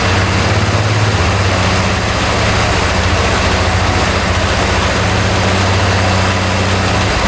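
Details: 2010 Polaris Sportsman 550 ATV single-cylinder after valve clearances were adjusted from loose to 0.006 in: settles into a steady, even idle with no valve clicking; valve train now quiet.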